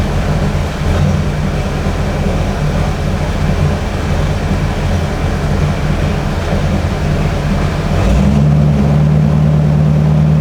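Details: 1950 Ford Custom Deluxe with 302 V8, block hugger headers, dual exhaust with Cherry Bomb mufflers; deep, even burble with steady lope, swelling louder when revved near the end; smooth, healthy. Normal idle and revving.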